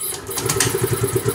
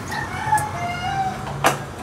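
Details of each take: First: Fuel-injected motorcycle, fuel injector already replaced and throttle body cleaned, fuel pump supply and priming OK: when started it catches with short, uneven chuffs and stumbles without settling, so it won't stay running; cause not yet found. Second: Fuel-injected motorcycle that dies and won't start; the fuel pump's positive and negative supply and body ground test good with a test light. After the key clicks, the pump hums steadily for about 1.5 s and stops, priming normally.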